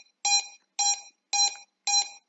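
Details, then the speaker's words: Drone ESCs after switching firmware from Betaflight to INAV: repeating high beeps, about two per second, steady at zero throttle, stopping at one percent; won't arm, cause unknown. "there is no beeping the problem is not there but as soon as i bring them down to zero percent again"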